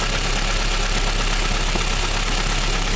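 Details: Rough idle with a dull knocking buried in the engine noise, in time with the crankshaft; knock from a spun connecting rod.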